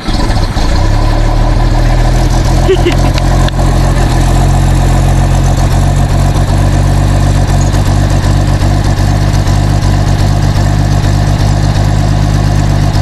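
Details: 1948 Bedford six-cylinder truck, first idle after sitting 15–20 years, following a sticking carb needle and seat: a deep, loud, lumpy idle that wanders over about thirteen seconds. It is suspected of running rich.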